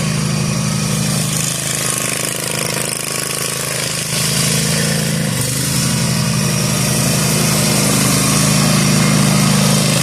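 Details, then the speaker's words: Zero-turn mower after maintenance and new deck spindles and bearings, mowing overgrown grass: steady, even engine drone under load, no grinding or squeal from the deck. The new spindles are so quiet the blades seemed not running; the mower is working properly. "These bearings on these new spindles are so quiet. Like I literally didn't even know if the blades kicked on at first because it was so quiet."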